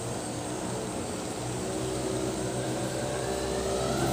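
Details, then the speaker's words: Boreem Tankman two-stroke scooter, recently revived after sitting on a farm, riding along the sidewalk half choked; buzzy, flat, uneven drone that won't climb in pitch, misfiring and running poorly, cause not confirmed. "so as you guys can see for the the most part it it uh runs pretty good doesn't sound the best it definitely is not running right it's far from it but uh it runs and drives half choked"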